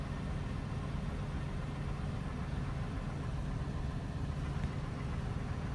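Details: 2001 Chevy Silverado 1500 Z71 4.8 V8, cold start at about 36°F, problem for about a month and a half, smooths out once warm: steady low idle rumble with some unevenness, no clear misfire beat; rough cold idle, cause unknown.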